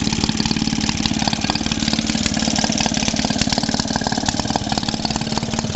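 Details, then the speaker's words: Maytag Model 72D two-stroke washing-machine engine, previously hard to start, on a fuel mix with a little extra oil: fast, fairly steady putter with irregular pops and bangs. Cause not determined; owner unsure whether this is normal. "Popping and banning, but oh well."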